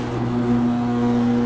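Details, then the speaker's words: Cheap linear chain-drive garage door opener after tightening the chain and lubricating the rollers and hinges: even motor hum through the whole run with no chain rattle, chatter or vibration; smooth door travel, motor itself loud. "No ricketeting. No vibrating. Nice and smooth. Door sounds good. Only thing that's loud is that freaking motor, but that's just because it's a cheap garage door opener."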